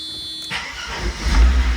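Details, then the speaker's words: 1993 Mercedes R129 300SL, 117,000 miles, salvaged, no keys and no history, started by breaking the ignition tumbler and turning it with pliers; very low on fuel. Quick crank, catches at once into a deep steady rumble; oil pressure good, normal cold start. "now I'm able to steal my own car and and oil pressure looks good engine sounds really good"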